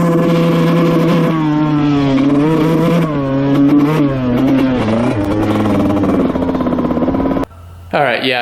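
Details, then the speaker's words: 2000 Honda CR125 two-stroke dirt bike at full throttle: uneven buzz surging and sagging, breaking up and bogging badly, blowing lots of white smoke; cause not yet found. "Alright, yeah, it's bogging really, really bad. You could hear it in the video. It's not too good. Breaks up, bogs, probably doesn't go over 10 to 50 miles an hour."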